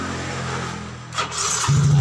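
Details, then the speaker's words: Yamaha Mio GT injection scooter that wouldn't start at all, tested after reassembly with the fuel pump humming and fuel flowing well: brief starter whir, then the engine starts at once and settles into a steady, even idle. "Nah, langsung hidup."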